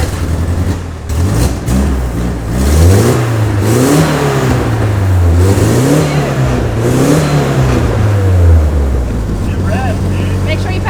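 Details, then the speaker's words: Nissan 240SX S13, swapped from automatic: revs climb and fall back, hitting a hard cut ceiling each time; idles but won't rev over about 2200 rpm, owner suspects no MAP signal. "so this car will idle but it won't rev over 2200"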